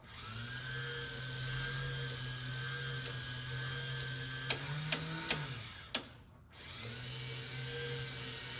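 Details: 1965–66 Thunderbird / 1961–64 Cadillac power antenna, tested up and down after reassembly with a crimped antenna-wire connector: even motor whir, a few clutch clicks at the end of travel, then a smooth restart. The antenna works properly.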